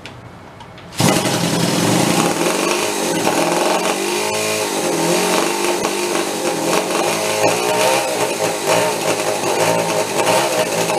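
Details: Homebuilt motorcycle with two small two-stroke engines from OCC twin chopper bikes, first start in years, after re-priming and choke, a little warm: the engines catch and settle into a busy crackling two-stroke rattle under light throttle; both are now firing.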